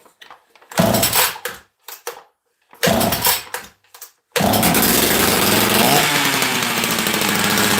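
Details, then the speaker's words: Rarely run chainsaw that had been sitting, flooded with too much fuel, restarted with no choke: a few sputtering bursts, then it catches and holds a loud, steady high buzz; two-stroke runs clean after a hard start. "ah see sometimes when they've been sleeping too long you got to help wake them up"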